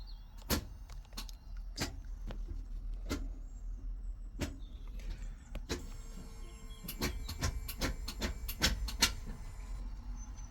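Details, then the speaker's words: Fiat 500 automatic (robotised gearbox), new clutch fitted after it was stuck in neutral; after bleeding the clutch the actuator calibrates, stepping through the gears with sharp clicks and short whirring motor runs, normal actuator operation. "As you can hear, it's going through the gears after I bled the clutch to calibrate all, which is a good sign."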